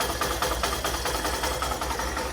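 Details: Hero BS6 motorcycle after repair, previously run with no engine oil and suspected rocker noise, in neutral and in gear with a loose chain: even idle with soft regular pulses about five per second, no tapping or rattle; normal idle.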